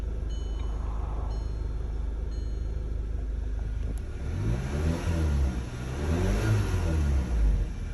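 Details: 2012 Audi TT with an active misfire, codes P0300 and P0304: petrol engine running with a rough, uneven low beat, then blipped revs rising and falling unsteadily.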